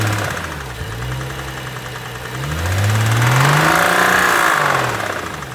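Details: 2012 BMW 135i M Sport F20/F21, N55 3.0 L petrol, 306 PS, 99,000 km: engine swells through a rev with a rapid regular knock under the note rising with speed; crank bearing damage.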